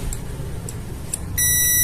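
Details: Honda Vario 125/150 five-pin starter relay under test. After a quiet moment a steady high buzz starts and holds, showing the good relay's contacts are closed and working normally.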